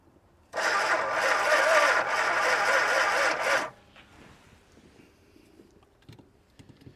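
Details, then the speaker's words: 1962 Chrysler Newport, 361 V8 with TorqueFlite A727, first start attempt after 17 years parked; water found on it but engine not stuck. Steady even cranking for about three seconds never catches; cranks but won't start. "oh sounds like she's trying"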